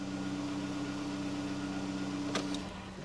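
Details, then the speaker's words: 2009 VW Golf 1.4 petrol idling right after an oil and filter change, not revved; the oil pressure light goes straight out. Quiet, steady low hum with an even tone, no knocks or misses; normal, healthy idle. "p just going to make sure the oil pressure light goes straight out which it has all sounds good and you don't need to rev it"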